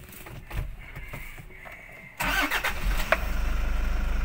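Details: Toyota HiAce Commuter 2018 that cranked without starting and showed no panel display (BCM lost communication), now fixed: short quiet spell, then it catches first turn and settles into a steady, even idle thump.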